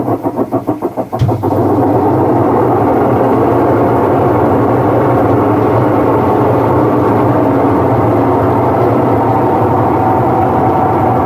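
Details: Whirlpool washing machine: a few quick knocks at start-up, then a loud, steady, rough drone that holds level throughout. Abnormal running noise, cause not confirmed.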